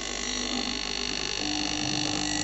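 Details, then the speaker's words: Philips GC7808 steam iron: continuous high, rattly buzz from the base, symptom of a faulty water pump inside the base, which needs replacing. Failing water pump. "So, kalau dengar bunyi dia ni, ni masalah pada pump."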